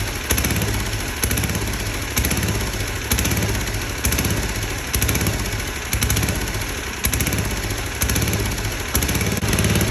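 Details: 34-ton log splitter's small single-cylinder engine (bought as supposedly blown up) runs steady with an even, slightly rough beat, no knocking or misses, after fixing a leaking degraded hydraulic return line; running fine.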